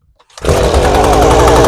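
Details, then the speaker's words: Echo PB250LN two-stroke leaf blower started on choke after spark check, carb leaks fuel: steady buzzing run that never climbs to full rev, sounds a bit rich; owner suspects carb needs adjustment or cleaning. "Definitely needs some carb work, either adjustment or cleaning. I said it leaks fuel, so I'm going to go ahead and do all that, but you can hear it doesn't rev all the way up. Sounds like it's a little bit rich, so I'm going to go ahead, tear into that."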